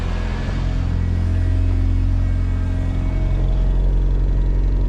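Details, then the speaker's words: AWD turbo Honda CRX after fixing the raspy exhaust, turbo couplers not yet connected and intercooler still capped: idling at about 1100–1200 rpm, very quiet. Low, even rumble with a soft exhaust note and no rasp or rattle, a normal idle. "this thing is so quiet it's unbelievable yo i'm loving it"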